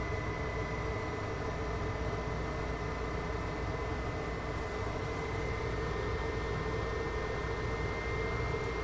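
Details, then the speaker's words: Xbox 360, fans speeding up continually after power-on: loud steady rush with high whistle; CPU-controlled variable fan speed reflects chips heating very quickly, air warming; not bearing noise. Fan overspeed from overheating. "yeah it's heating up very quickly which is indicated by the fan speed which is variable and CPU control"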